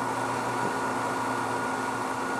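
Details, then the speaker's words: Variable-speed pool pump turned down to 2,600 rpm (48 gallons per minute), the system's maximum before cavitation: steady motor hum with smooth water rush, no crackle or gravelly rattle; normal run without cavitation. "hear any cavitation 2,600 rpms or 48 gallons per minute so we know now that the max we can push this system is 2600 rpms before we start getting cavitation"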